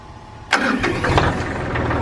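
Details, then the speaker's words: Inline diesel truck started after holding the glow plugs about 45 seconds, using a bypassed starter because the key switch failed: brief crank, then the engine catches cleanly and settles into a steady, even idle with no misses. "Oh yeah, there we go. Purring like a can."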